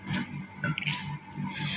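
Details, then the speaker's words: AC that is not cooling enough, being prepared for a freon recharge. A short, sharp gas hiss builds to a steady high rush as the loosened hose fitting purges air from the hose, so only refrigerant enters the system; a normal purge. "kedengeran nipplenya kebuang ya jadi siang di dalam selang ini rewang Andhika pasang"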